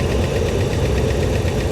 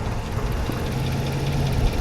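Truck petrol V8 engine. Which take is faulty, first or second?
first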